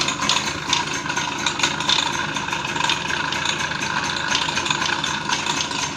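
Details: TVS XL Super moped with a clutch noise problem: a dense, fast metallic rattle over the small engine's running note from worn clutch bell and shoes.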